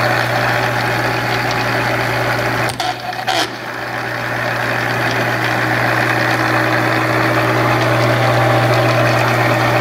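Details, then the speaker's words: Monarch 10EE lathe during refurbishment, first power-up after installing drive tubes: steady motor hum with a loose fast rattle about four a second; internal rattling, source not yet found. "[Applause] all right guys one more time so i definitely hear a lot of rattling around in here so i think what"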